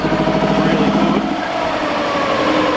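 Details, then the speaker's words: 2000 Subaru WRX GC8 that sat untouched for 11 years, fuel system cleaned and a fuel pump fitted: uneven, lumpy idle with a wandering beat; rough idle, owner suspects it is running very lean. "I think she's just very very lean"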